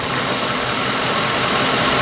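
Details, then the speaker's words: 2003 Mercury Grand Marquis 4.6 L after two-wire idle air control valve plugged back in during P0507 high-idle diagnosis: rpm rises as the valve reacts, then smooth, even idle with no hunting; computer back in control of idle. "we should hear an RPM rise when I do this you hear the idle air control motor start to react"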